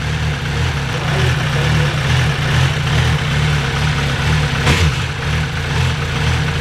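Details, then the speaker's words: MV Agusta 1090R that used to bog, lose power and die randomly (owner suspected fuel delivery), battery charged. Deep, steady, even idle that holds without stumbling or dying. Feels much better than before; normal idle. "That feels a lot better than what it was before. As long as the bike doesn't die, I think we're good."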